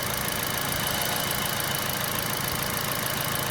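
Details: Normal idle on an All New Kia Picanto just after replacing the alternator with a Mire unit for a low-charging fault: smooth, even idle with a steady hum and no squeal or roughness.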